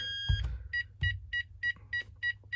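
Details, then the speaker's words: Texecom Veritas alarm keypad, system won't set: evenly spaced short high beeps, about three a second; nine beeps signal a tamper fault, here the keypad tamper with the keypad removed, clearing once refitted. "And the beep of death from this system could be the keypad tamper. There you go, there's your 9 beeps."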